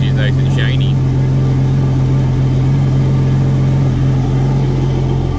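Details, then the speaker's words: Yamaha F250 outboard on a Grady White 216 during annual service, idling on a flush hose with water temperature not yet up and not revved. Steady, even low drone with no knocks or misses. Normal idle. "when you run on the hose you get enough water pressure to run it but you don't want to rev it up or anything or you could starve the water pump and hurt it potentially so letting it idle is okay but i wouldn't rev it up at all"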